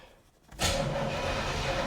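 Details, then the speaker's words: 1984 Corvette C4 with Crossfire Injection, parked over 20 years, key turned in park: a click, then a steady, even whirring crank at constant pitch with no grinding or hesitation. The engine spins over well. Normal cranking. "She spins over pretty good, actually. This might be a decent car."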